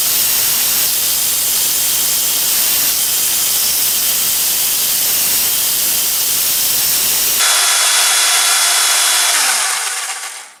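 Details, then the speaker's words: Ozito DBS-095 drill bit sharpener regrinding an over-worn bit with light force: steady high hissing grind that shifts as the bit is repositioned; cutting cleanly, creating a nice edge, normal operation. "Okay, it's about 3/4 of the way through. It's creating a nice edge on it."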